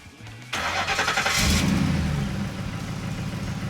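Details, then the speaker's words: 2004 Ford F-150 V8 after new spark plugs, coils and O2 sensors: brief crank, then a steady, even idle with no stumble or misfire, smooth as silk; normal idle. "look at that smooth as silk sound very good sound very good"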